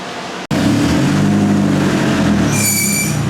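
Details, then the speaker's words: 359whp turbo Hyundai Sonata with eBay turbo and a new fuel pump, test start: loud catch, then a rough droning roar with a brief high squeal near the end; new, unexplained start-up noise. "Whoa. I don't know what that one was. It's never made that noise before. That one's new."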